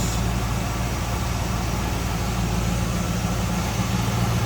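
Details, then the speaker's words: 1978 Chevrolet Camaro 305 V8, warmed up and dropped off cold-start high idle, heard at open hood: steady low, even idle rumble, no knocks or misses; healthy warm idle. "And warmed up, it did drop off that high idle."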